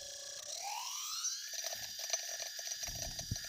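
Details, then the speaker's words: Yuneec Typhoon H drone throttled up on a table without propellers: motors whine up then harsh high buzz with rough grinding, rear LED blinks red, controller warns of motor errors and five-rotor mode; simulated error, not a fault. "all right now you hear that terrible grinding and now you see that the back of the typhoon H is blinking red"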